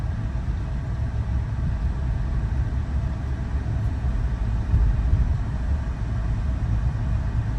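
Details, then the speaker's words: 2008 Ford Escape V6 driving after sway bar end link replacement: steady low road and engine rumble with no knocks or clunks from the front suspension; the front clunk is fixed. "All right, so we drove the Escape. We didn't hear no noise, so we fixed the clunk in the front."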